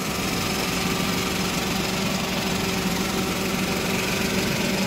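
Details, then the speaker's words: Toyota Wigo after replacing a wire and terminal and clearing codes: even, steady idle with constant hum and no misfire or rattle, check engine light gone. "smooth na yung andar so smooth na yung andar"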